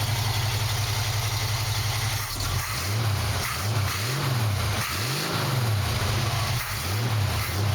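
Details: 1965 Mustang, warm and already run, choke now working: starts right up and idles with steady low rumble, smooth throttle blips rising and settling cleanly; sounds healthy.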